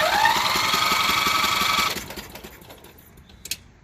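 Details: Craftsman riding mower Briggs & Stratton engine, spark plug removed, belt off: starter spins quickly and evenly about two seconds, then winds down; free cranking without compression, won't crank with plug in; engine judged shot.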